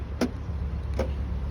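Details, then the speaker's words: 2017 Jaguar XE after battery went flat and keys were reprogrammed (KVM locked, no crank no start), battery still somewhat low: three sharp clunks about a second apart over the car's low hum; door locks opening normally. "carro abre. Sin problemas. Está cerrando, cerrando. Está abriendo muy bien."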